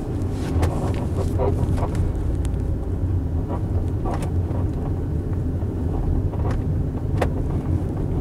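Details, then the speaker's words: 2016 Tesla Model X on a winding road, heard from the cabin: sharp scattered ticks and creaks come through steady road rumble on the bends; cabin squeaks and rattles, likely from loose interior trim. "all right winding down these roads more streaks more rattles i'll shut up so you can actually hear that"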